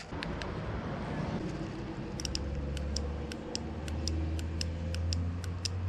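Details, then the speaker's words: 2004 Yamaha R1 sitting untouched for over ten years, injectors reconditioned a year earlier: crisp ticks about three per second over a low hum; injectors click and work normally, though power delivery to the injector plugs later proved faulty. "All right, so the injectors work. Nothing wrong with the injectors."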